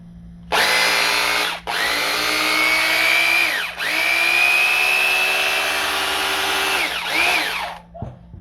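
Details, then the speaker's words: Bosch GBH 2-24D 820 W rotary hammer test-run after its burnt armature was replaced with a new one; smooth, steady high motor whine, even through trigger releases, with no rattle or grinding, so it runs normally. "funciona normalmente meus amigos vocês viram aí que a máquina ficou nova"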